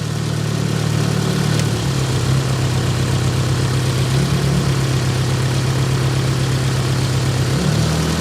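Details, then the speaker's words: Nissan 200SX S12 dual-coil engine idling on intake-side coil only: low, irregular stumbling idle, down at least one cylinder if not multiple, little boost; misfire. "so we're certainly at least down A8 cylinder if not multiple when running just on the intake side"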